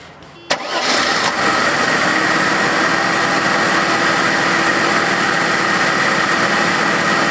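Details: 1990 Mercedes 300TE M103 engine after thermostat replacement and coolant bleed; clean crank, catches at once and settles into smooth, even idle with no misses; healthy start, checking for leaks.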